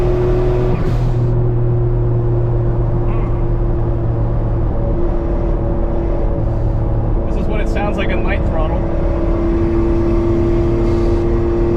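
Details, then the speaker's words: Suzuki Cara (Autozam AZ-1) on a dyno with Cappuccino N1 Monster Sport ECU, holding 1.1 bar boost, straight downpipe that fell off the day before: raspy puffing hiss over the drone; suspected boost or exhaust leak, cause unconfirmed. "sounds like a boost leak or an exhaust leak it sounds really weird yeah that doesn't sound right"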